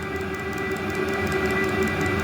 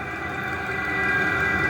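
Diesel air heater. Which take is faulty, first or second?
first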